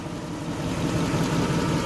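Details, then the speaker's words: Lexus LS400 after an ECU repair (capacitors replaced, then a faulty diode), running about five minutes and idling down to low idle while warming up: smooth, even low rumble with no knocks, ticks or hunting. Normal idle, nothing weird so far. "you can hear nothing weird and see nothing out of the ordinary so so far so good concerning the ECU repair"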